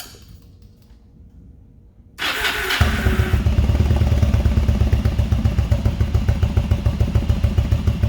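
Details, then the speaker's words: Motorcycle unused about a month, on a battery charger, cold start: cranks and catches, then a lumpy, slightly uneven low thump; owner says it needs a tune-up, cause not confirmed. "all right guys so let's give her a fire up see how she sounds like it does me it does need a tune-up"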